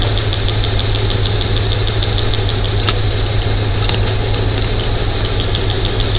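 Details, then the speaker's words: Cylinder-misfire diagnosis: mic on a screwdriver tip against the number four fuel injector, a good cylinder, over a low even idle; crisp steady ticking of a normally clicking injector. "no quick let's hear number four and I can hear it click"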